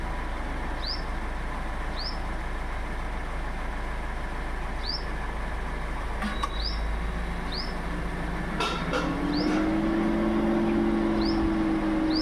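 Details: Innova Hycross AC compressor gives a clear, pronounced tock each time it comes on, then a steady hum with the engine running quietly; clunk on compressor clutch engagement, cause unknown.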